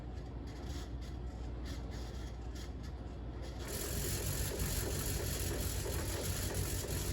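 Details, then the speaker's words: 38-inch Fasco World's Fair model 948 ceiling fan from July 1982, cranked to high: steady hum roughening as it winds up, uneven rhythmic rumble and bad shimmy; flywheel pretty much done for and bearings terrible. "Anyways, we're gonna crank this fan to high, but we're not gonna do it very long, as you can see it's shimmying very badly."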